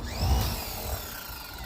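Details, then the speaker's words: Free Greenworks 2000 psi pressure washer connected to a water hose, at switch-on: a rough low buzz with a wavering whine instead of a clean hum; abnormal motor noise, cause unclear, reportedly not working. "It just does that immediately. Is it supposed to do that?"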